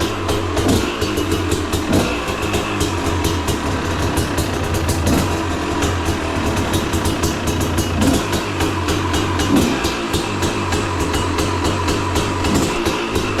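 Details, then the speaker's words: 2011 KTM SX 250 two-stroke after a full rebuild, first startup after one kick: crisp, fast, even idle with a steady burble and no knocks or rattles. The fresh engine sounds healthy. "So this is basically the New build. new build and first startup. Yeah. So we want to do a little spleege on this here before we kicked it over. Not bad, the first kick."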